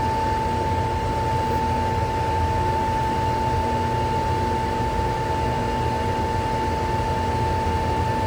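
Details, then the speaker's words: Pool heater with a no-heat fault, start of the heating sequence after checking the wiring: the inducer motor kicks on with a steady, even whirr and a constant high tone, no knocks or wobble; normal startup before the igniter glows. "Now you can hear the inducer motor kicked on, so that's that whirling sound that you're hearing right now."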